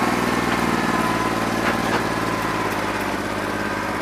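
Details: New Holland 1320 diesel tractor with a bad injector, running on about 2¼–2.5 cylinders: steady idle clatter with an uneven, lumpy beat; owner thinks it needs an injector.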